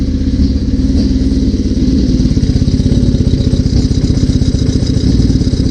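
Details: 1981 Suzuki GS650GL during rebuild, freshly started with new battery, plugs, oil, filter and pod filters, on choke: steady, even low pulsing four, no misses or knocks; normal running, small carb leak suspected.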